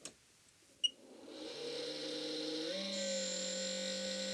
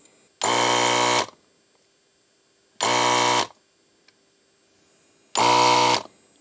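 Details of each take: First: ZD-915 desoldering station cooling fan, recently gotten much louder: spins up to a loud steady hum with a high whine on top, worn failing fan to be replaced. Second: ZD-915 desoldering station after fan replacement and mods: three short bursts of even rattly pump buzz starting and stopping cleanly; pump works fine, louder than normal because not screwed down.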